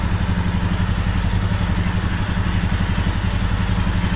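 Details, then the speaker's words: 2021 Royal Enfield Himalayan Euro 5, 6,000 km, idling hot: quick light rattle from lower right engine, worse as it heats and gone briefly after tipping the bike; oil pump drive chain, gear suspected moving back and forth on its shaft. "what that is is you got the shaft and the gear is on the shaft and the gear is moving backwards and forwards and when the bike's on its side I don't know the gear is running into the engine that's what I assume"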